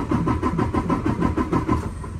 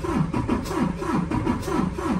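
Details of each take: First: 2019 Freightliner Cascadia DD15 diesel, 785,000 miles, cranking no-start during relative compression test after valve adjustment; steady even pulses about four per second, no weak beats; cylinders 4 and 6 rose from zero. Normal even cranking. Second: 2019 Freightliner Cascadia DD15, 785,000 miles, relative compression test before valve adjustment: lopsided cranking at about three beats a second, cylinders 4 and 6 at zero compression, number 5 at 63%.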